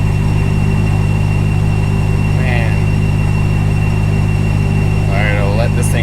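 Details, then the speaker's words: RAM 1500 pickup with a swapped 6.2L supercharged Hellcat V8, idling cold in park/neutral after an adaptives reset. A steady high-pitched squeal holds its pitch and goes away in reverse and drive; traced to something free-spinning in the transmission. "watch this is how you know it is transmission so we're in neutral right now or park watch reverse here go away neutral starts up drive goes away so it's when something's free spinning in the transmission so weird"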